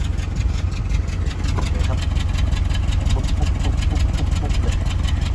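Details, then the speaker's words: Mitsubishi Triton on gas, recorded at the exhaust at idle: uneven puffing about three pulses a second, with shaking, stumbling and weak take-off in 1st and 2nd gear; a bad injector is suspected, and the injectors were removed for testing and cleaning. "อันนี้เข้าแก๊สแล้วสั่นมากเลยฟังเสียงท่อนะอื้อหืออารนี้น่าจะมีหัวเสียอะไนะ"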